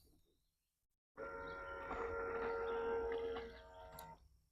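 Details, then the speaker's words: Decoy Doctor out-of-the-box water pump on a timer, 4 seconds on and 10 seconds off: steady mid-pitched whirring whine when it kicks on, louder than the quieter DIY pump; noisy pump. "however this pump's pretty noisy I don't know if you can hear it well listen as it comes"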